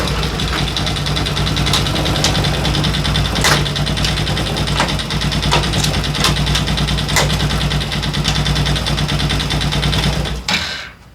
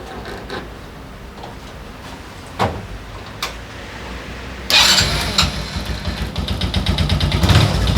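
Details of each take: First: Daelim Citi Ace 100 (CA100) motorcycle engine idling with irregular sharp clicks over the beat, strange noise when shifting gears; caused by worn clutch lifter assembly rollers, accessed via right-hand crankcase cover. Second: Daelim Citi Ace 100 (CA100), reassembled after replacing worn clutch lifter rollers to cure a gear-shift noise: a few cranking clacks, then catches and settles into a steady, even idle without clatter; clean, healthy start.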